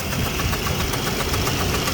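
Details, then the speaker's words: 2004 Jeep Liberty Renegade with a suspected collapsed lifter, later found to have dropped a rocker arm. Sharp, rapid ticking rides over the idle at engine-speed rate as the valvetrain clatters. "Oh, there's a little tick happening. Collapse lifter, we're guessing."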